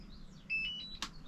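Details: DJI Power 1000 Mini portable power station in a VW Crafter van conversion: a short run of high chirping beeps at switch-on, the normal startup signal, with the display then showing 100% charge.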